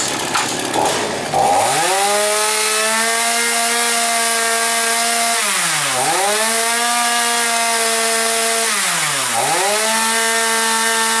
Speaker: Run's pretty good